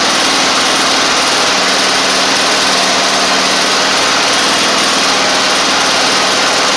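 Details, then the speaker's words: Toro Z2550 zero-turn small twin needing fuel system work, on carb spray, first sustained run: steady high idle, even note, no surging or misses; running normally, but a flywheel magnet issue is suspected. "that is a success let's going to let it run for couple minutes let's see if it's charging the battery"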